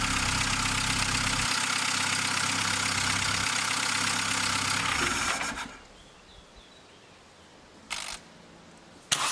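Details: VW Golf Mk3 engine, first start after head gasket replacement, coolant and air filter box not yet fitted: quick catch on the starter, then an even, steady idle for several seconds before shutdown; normal start and idle.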